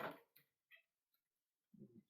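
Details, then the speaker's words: Cube bike with through axles, shifting the rear gears down the cassette: a few sharp clicks, then rattling bursts as the chain jumps between cogs; the rear derailleur indexing is out, not fully down or catching the next cog up. "i can hear it already you see it jumping and then again it's jumping so it's so they're not fully down or it's catching the next one up"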